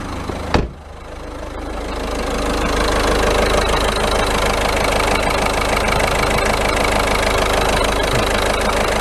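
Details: 2014 Ford Fiesta 1.6 TDCi diesel, previously crank-no-start (P244D) after power loss, after repair: fires with a sharp catch then settles into a steady, even idle with light clatter; runs normally.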